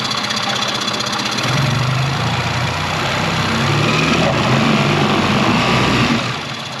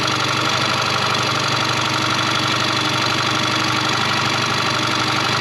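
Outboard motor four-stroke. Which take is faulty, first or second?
second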